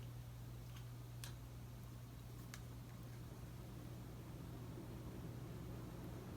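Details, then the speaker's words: Casablanca S3 ceiling fan (2002, 188mm x 20mm motor) on high after capacitor replacement, back up to full speed: quiet steady low hum, soft rush of air, no ticking or wobble; normal operation. "Yup, you can see that it's back up to speed!"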